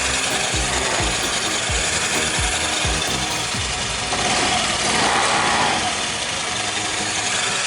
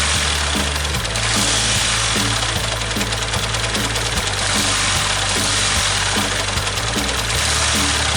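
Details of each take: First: Single-cylinder motorcycle after a bearing replacement: light, even idle patter and hiss with no knocking or grinding from the bottom end. Sounds healthy; normal idle. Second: Yamaha New Vixion motorcycle, clutch and rocker arm bearings found loose: steady running with a repeating low knock about three per second over the idle; sounds like a worn crankshaft bearing, engine teardown needed.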